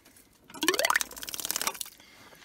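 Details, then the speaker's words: 1986 Kubota L2550 diesel tractor, fuel line between tank and filter had frozen; after an hour under a heat lamp, diesel reaches the filter and a small electric fuel pump spins up with a rising whine then steady buzz, pumping fuel normally. "when i came back we have diesel fuel in the filter if i turn on my little pump"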